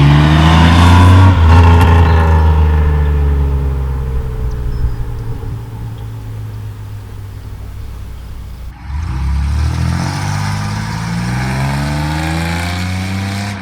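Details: 1997 Chevy Camaro RS, 3.8L 3800 Series II V6, Cherry Bomb Turbo muffler after finishing the tailpipe turn-down: deep, smooth exhaust rising and falling evenly with throttle, no rattle or boom. Normal exhaust note; cabin drone gone.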